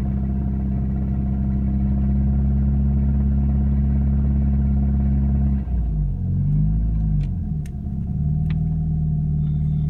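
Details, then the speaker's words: Engine at idle with a dull, uneven knock about three per second, changing as revs shift; owner suspects piston knock; a second intermittent knock starts at 2000 rpm, worsens with revs, seems near the alternator, possibly valves. "Идет, короче, непонятный стук какой-то. Не знаю, что это. Заводится ровно, все нормально. Работает потихоньку он. Вот это, скорее всего, наверное, поршневая стучит."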